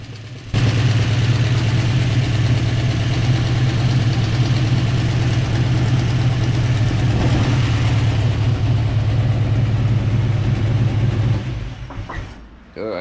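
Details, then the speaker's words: Classic car carburetor after fixing a leaky needle and seat following a rebuild: steady, even low idle with a smooth beat around three per second, no misses or stumbles and no dripping; normal idle. "fix that carburetor that sounds nice doesn't it"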